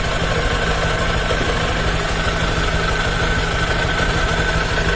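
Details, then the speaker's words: Honda Click version 3 CVT just after cleaning. At idle there is a faint quick light tik-tek ticking over the engine hum, caused by a little grease getting on the belt and its contact faces during cleaning. The earlier creaking and rasping is gone. "kaya mga ganyan eh mga katok-katok po dahil nga po yung lakas eh nawala na po dahil onong ating belt eh medyo nalagyan po yan ng konting grasa"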